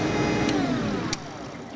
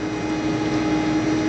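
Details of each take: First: Maytag WU882 dishwasher that won't drain, drain cycle: drain pump motor whirs down then hums steadily with faint ticking without turning; owner presumes failed pump bearings, as it sounded crunchy coming to a stop. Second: Maytag WU882 dishwasher that won't drain, running wash cycle: steady, even mid-pitched hum with no grinding or rattle as wash pump sprays; drain fault suspected from binding pump bearings.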